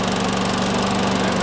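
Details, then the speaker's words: Sears Craftsman mower model 917.370610, cold start next day before an oil change (oil milky), air filter still due: quick, even single-cylinder putter holding steady speed while warming up, no misfires or knocking; runs fine. "Let it warm up a bit before I drain this oil. Let's see if it starts much better now."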